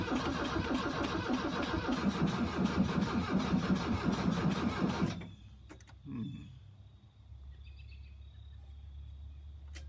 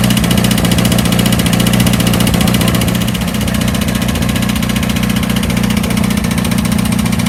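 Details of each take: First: 1982 VW Vanagon Westfalia after new battery, glow plugs and starters: starter grinds the engine over sluggishly, about three compressions a second, then stops without firing; slow cranking, battery suspected still weak, jumper cables next. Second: 1982 VW Vanagon Westfalia diesel after new battery, glow plugs and starter, chilly day, started: steady even diesel clatter at idle, about four beats a second with low rumble, no misses; normal idle.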